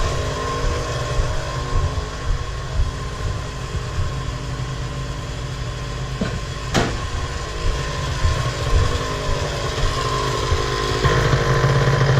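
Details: Miniplane Top 80 paramotor two-stroke after the secondary ignition coil wire and spark plug boot were replaced: a steady buzz holds an even pitch with no misses or sputters. The engine runs cleanly and smoothly after the repair.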